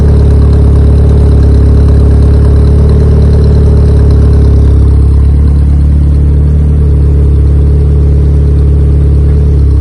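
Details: Honda EK Civic with a freshly built Vitara D16 turbo engine on its first start-up, radiator cap off; strong steady low drone, high idle around 2000 rpm. Owner thinks it is an ECU setting and suspects the throttle body.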